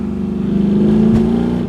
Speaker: This thing sounds good and there's no fuss to it at all.